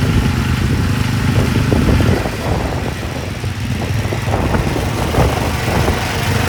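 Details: Massey Ferguson 7 lawn mower, long-sitting, running after carb mixture adjustment, driving with microphone off; owner thinks it needs piston rings: steady low single-cylinder putter under load, no misses; normal running.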